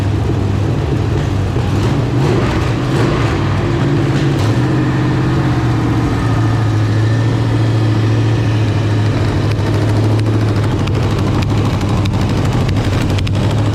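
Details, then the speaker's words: Marketplace LQ4 6.0 V8 (circa 1999–2000, iron heads) with temporary exhaust slipped on: steady idle and brief rev with faint sharp puffing tick, no rattle or knock; exhaust leak. "yeah gotta exhaust leak right there that's the only thing I hear though I don't hear any valve train rattle no bottom end noise"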